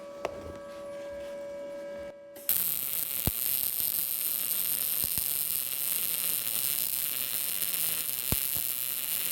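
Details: Arccaptain MIG200 inverter MIG welder, welding vertical down on an inside corner with a push technique; steady crackling sizzle after a short hum, only a few pops; judged not bad and passing all tests.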